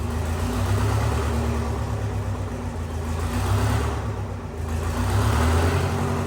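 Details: Detroit 8V71 two-stroke diesel from a bus, swapped into a John Deere 5020 tractor, first run in about -11°F cold, fuel system primed: deep, even drone rising and falling smoothly with the hand throttle, no knocks or misses; healthy, normal running.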